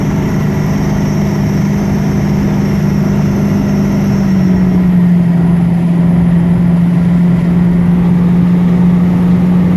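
A steady low whine sits over the idling engine, dipping slightly in pitch partway through; source not evident from sound alone.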